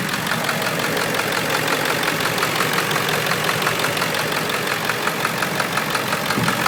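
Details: Ford 7.3 Power Stroke diesel on a moderately cold start, heard at the passenger-side valve cover. A regular knock of about three per second rides over the idle clatter; it comes and goes and is sometimes louder. Owner suspects a bad injector.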